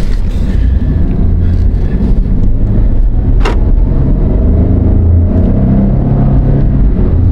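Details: Jeep Liberty 3.7, final test drive after securing a loose rear wheel that caused loud knocking when coasting: deep, even road rumble with no rhythmic knock or clunk; the wheel now sounds secure.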